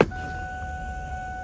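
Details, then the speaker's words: Coyote-swapped New Edge SN95 Mustang with a used X-pipe and Flowmasters: a steady, thin high whine over a low hum as the fuel pumps prime before start, then it fires right up. "hear the fuel pumps kicking in. Fires right up."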